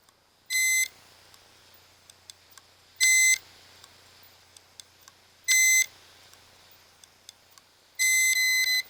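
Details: Failing hard drive, heard from an inside view, gives short, high-pitched beeps about every 2.5 seconds over near silence as it repeatedly tries and fails to spin up properly.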